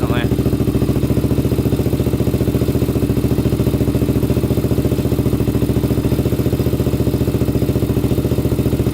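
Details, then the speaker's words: 1999 Honda 400EX single after an engine rebuild and first ride, restarted after cooling about 20 minutes: starts instantly, with a quick, even putter at steady idle, no knocks, misses or hunting, and no smoke. Normal idle. "let's see if it starts right back up yup runs perfect literally starts instantly"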